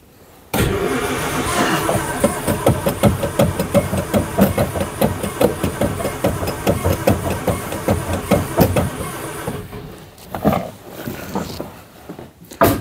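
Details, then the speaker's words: 1950s Daimler Consort barn find, final attempt: there is spark, but some plugs are dry and some wet, and the owner suspects flooding; the throttle is sticking. The starter churns in uneven pulses for about nine seconds and it never catches. Cranks, no start. "Thật không may, sau tất cả những nỗ lực tôi đã bỏ ra hôm nay và tôi cũng giúp bạn đời của mình đến và cố gắng khởi động chiếc xe tải đáng yêu này, thật không may là nó không khởi động được sau khi chúng tôi nhận được nhiên liệu không khí châm ngòi cho mọi thứ"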